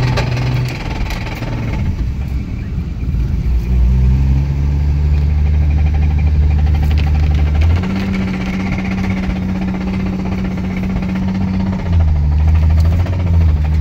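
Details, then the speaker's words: Imported JDM Toyota 1JZ, about 70k km, run about 500 miles; the knock started after a few pulls. Rough idle with a low uneven knock about three per second; the owner calls it a very serious rod knock. "imported from Japan it's got a very serious rod knock so we're gonna see if we can pull it from my grandmother's house up to my house"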